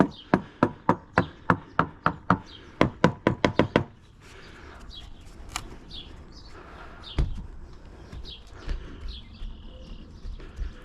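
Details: Hammer-tapping around the mast step of a free Halcyon 23 fiberglass sailboat: about fifteen crisp, sharp taps, roughly four a second, with no dull or hollow thuds; rock solid, possibly rebuilt, core sound.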